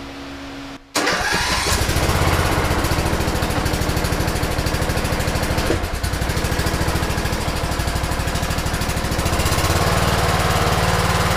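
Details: 2008 Troy-Bilt Pony riding mower single-cylinder after bent push rod replaced, not revved: catches after brief crank, then steady, even chug with no knocks or misses; healthy running.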